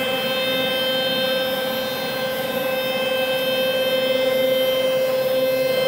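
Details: Ponder Labs Saturn 2 4x4 CNC, newly secured to a wood platform: gantry moves with a steady mid-pitched motor whine and thin high overtones, no banging or rattle. Earlier racket is gone; slight paint-rubbing sound remains when it stops.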